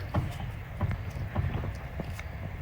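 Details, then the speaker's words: Modified E36 BMW super-touring-replica race car, wheel rocked by hand: dull low clunks about every half second; play in a suspension rose joint where it ties into the subframe, between the brass and the stainless steel, possibly a commercial-grade joint. "if you look there the play is uh on this Rose joint in between the brass and the actual stain of Steel so that's where one of the issues is"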